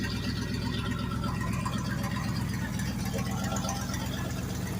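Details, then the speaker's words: Cold Ford big-block farm truck with about 323,000 miles, on choke with stock exhaust, not touching the gas: deep V8 idle, lumpy and shaking, rough from about 12 vacuum leaks where emissions vacuum lines are unhooked. "and yeah she's a little shaking I know y'all see that but yeah like this truck here has everything emissions with all the vacuum lines there's like one vacuum line hooked up"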